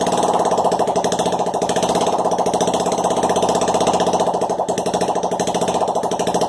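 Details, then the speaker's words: Project Honda Ruckus scooter engine, hand-throttled, barks with loud, sharp, rapid even popping at steady speed through an open exhaust port with no exhaust fitted; the engine runs fine. "now there's no new exhaust on there so I'm not gonna run it very long so let's give it another go"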